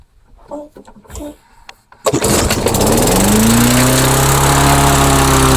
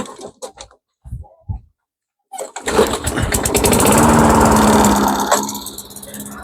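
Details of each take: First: Mastercraft lawnmower on a replacement engine, left overnight, then primed ten pumps with plug wire on and fuel confirmed: it catches and settles into a steady run. The owner says it started, ran, then died, but no stall is heard here. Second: Mastercraft 3-in-1 mower with a replacement engine, after governor adjustment: a few cranking pulls then a steady, even buzz; starts and runs, though later judged short of fuel and carburetor cleaned.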